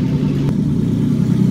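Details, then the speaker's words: BMW E36 drift car with the header chopped about 1.5 ft, no exhaust and no O2 sensor. Loud, deep, throaty idle with a steady low rumble. Running rich; a vacuum leak is suspected but none found. "It's running pretty rich. Sort of has a vacuum leak, but I looked all around, I can't find one."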